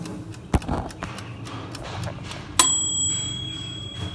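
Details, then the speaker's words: Mini autoclave for clinic instruments: after reaching 15 psi, quiet background then one sharp bright ding ringing about two seconds as the timer ends and the machine shuts off automatically; sterilisation complete, normal. "এইমাত্র শব্দটি হয়ে গেল এবং অটোক্লেভটি বন্ধ হয়ে গেল আজকে এই মত এই স্টেরিলাইজেশন টা শেষ হলো"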